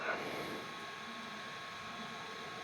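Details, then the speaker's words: OQO Model 02 UMPC with a 1.2 GHz VIA C7-M CPU and a rotating hard drive (not the SSD version), CPU always working hard: steady airy hiss with a faint high whine, no clicks or grinding; normal hard drive and fan noise. "Okay, so I have the OQO model 02 booted up now and uh yeah, you guys might hear how noisy this computer is um cuz it has a rotating hard drive and uh the CPU isn't very powerful."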